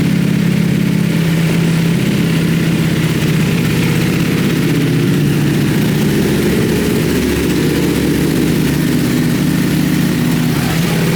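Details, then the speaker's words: Rebuilt wrecked 2020 Ducati Panigale V4S with a full Akrapovic exhaust: a loud, deep, even idle with a steady lumpy beat and no knocks or rattles. The V4 runs clean and healthy. "damn that pipe sounds awesome that pipe sounds Wicked um I've never actually had a bike with a full Acro system on it so uh damn that is loud man that's that's a loud loud bike"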